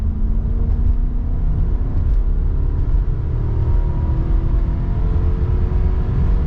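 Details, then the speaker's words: 1995 Lexus LS400, 160,000 miles, warm, after replacing intake manifold seals, fuel injectors and the ECU to cure a six-month intermittent misfire: engine climbs smoothly past 5000 rpm under load with no stumbles; normal acceleration. "there it is I think that's it I think we solved it there's no misfire pulling strong"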